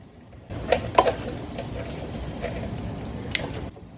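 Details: Motorcycle front semi-floating brake rotor rocked by hand: a few small metallic clinks from the designed gap in the rotor mounts; the same click heard turning the bars lock to lock, normal and nothing wrong.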